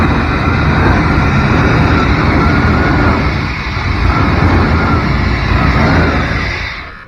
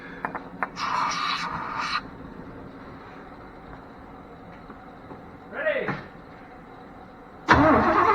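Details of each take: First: A 1992 Chevrolet truck, pulled from a field after 10-15 years, running on a universal fuel pump. The V8 catches and settles into a steady, even low rumble with no knocks or misses before shutting off. Sounds healthy. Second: 1992 Chevrolet truck that sat 10-15 years, reportedly parked for a bad battery, cranking with starter fluid: starter spins the engine at an even, steady rate for several seconds but never fires; crank no start, no spark suspected.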